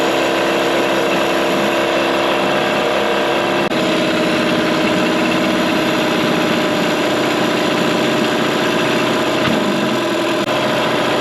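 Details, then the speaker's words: 2003 Mercury 15 hp two-stroke electric-start outboard in a test tank during first startup after restoration: backfiring stopped; now even, steady buzzing idle with no pops or misses, one small tone shift; owner suspects a vacuum leak; normal idle. "does sound like it's running much better now it's not backfiring anymore"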